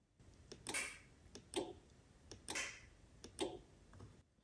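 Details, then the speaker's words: Buick Grand National with newly wired Holley-controlled torque converter clutch, engine off: crisp quiet clicks about once a second from the transmission TCC solenoid and the relay under the dash, both switching cleanly; circuit working. "so you can hear the solenoid in the transmission and you can hear the relay in here under the dash"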